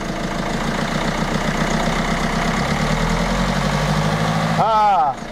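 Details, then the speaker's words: Peugeot 307 diesel after repair: smooth, even idle clatter with no shake or stumble, steady enough to balance a two-euro coin on it; repair done, normal idle. "tremble plus elles se disent on pourrait mettre une petite pièce de deux euros sur le flanc qu'elle voudrait pas"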